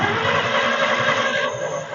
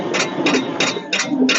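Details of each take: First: 1946 International truck abandoned about 50 years, brief run with no radiator fitted: the old engine rumbles steadily with an even beat, no clatters, clanks or rod knock, running very smoothly; normal idle. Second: 1946 International truck sat about 50 years, marvel oil poured in the cylinders: steady cranking with about three hissy puffs a second from the open cylinder, no firing; compression readings about 25 to 60, low compression.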